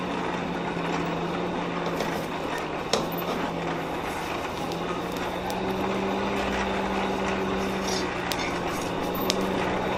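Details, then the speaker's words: Hand-cranked coal forge blower after prying the packed fire up off the air grate with a poker while cranking: steady low even whir, deepening slightly midway, with much more airflow through the fire pot; normal. "There was a lot more airflow coming up through the fire pot, and that is what we want for a good hot fire without over oxygenating our steel."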